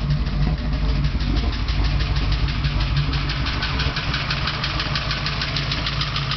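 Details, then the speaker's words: 383 small block Chevy V8 with about 1,200-1,500 km since build, idling: light even tick about three per second; also heavy blow-by and oil consumption, owner suspects rings not seated and expects it will likely need a teardown. "It has approximately 1500 kilometers on it, and it's developed a ticking sound and still has a lot of blow by and consumes a lot of oil still, so I believe it needs to come back apart."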